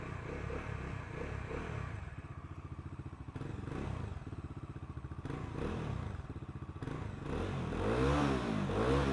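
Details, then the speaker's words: New 2026 Bajaj Dominar 350 at 1,300 km: a steady, fast tak-tak knock over the engine beat that began suddenly on an 80–90 km ride. The cause is unknown and the bike is going to the service centre. "ಏನಕ್ಕೆ ಅಂತಂದ್ರೆ ನನ್ನ ಗಾಡಿನಲ್ಲಿ ಸಡನ್ಆಗಿ knocking sound ಬಂತು ಟಕ್ ಟಕ್ ಟಕ್ ಟಕ್ ಟಕ್ ಅಂತ"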